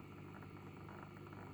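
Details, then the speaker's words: Water cooling pump in a custom four-PC desk build, running while flushing the radiator: quiet hum with faint recurring rattly bursts and gurgling; pump rattles and the noise vanishes once the pump is taken off. "Sounds like like the pump is rattling. Weirdly, if you take it off, it totally goes away."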